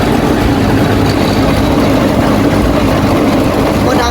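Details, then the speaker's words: Hatari AC Classic1 evaporative air cooler fan, before repair, run at speeds 1–4: loud steady roar with rough hum, rattle and strong vibration from a loose blower blade hub letting the off-center blade shake. "นะครับรุ่นACClassic1นะครับอาการเสียคือมันมีเสียงดังขณะใช้งานนะครับมันก็น่าจะเกิดมาจากใบพัดลมโบเวอร์นะครับด้านในกับมอเตอร์เนี่ยต้องมีอะไรเสียสักอย่างนะครับ"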